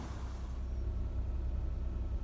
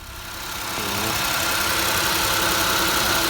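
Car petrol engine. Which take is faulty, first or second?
second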